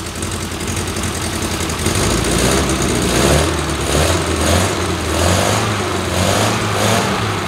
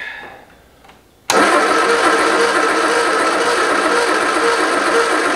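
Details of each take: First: 1973 MG Midget parked over 40 years, running on a makeshift fuel setup with a gasoline leak: small four-cylinder catches and runs on with steady, slightly surging burble without stalling; normal running. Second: 1973 MG Midget parked over 40 years, plug wires rearranged to a guessed firing order, timing off: starter cranks steadily about three turns a second, close to firing but never catching; owner suspects wires or fuel.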